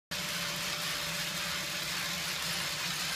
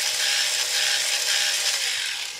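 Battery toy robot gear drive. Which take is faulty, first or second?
second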